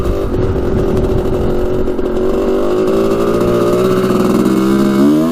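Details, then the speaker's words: 1986 Honda CR250 two-stroke on its first test ride after repairs: revs rise and waver unevenly, slightly rattly, sounding lean like an air leak; afterwards the spark plug was found loose in its hole and a coolant line loose. "it sounds like it's running a little bit lean here i don't know if you guys can hear that or not but it's kind of like like an air leak almost"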